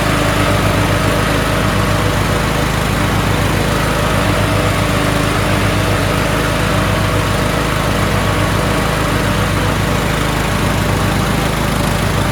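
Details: Toro Wheel Horse 1438HXL lawn tractor repowered with a rebuilt 17.5 hp engine, after mower deck belt and pulley replacement: steady, even engine drone with smooth deck whir, no knocks or slipping; running normally, everything works.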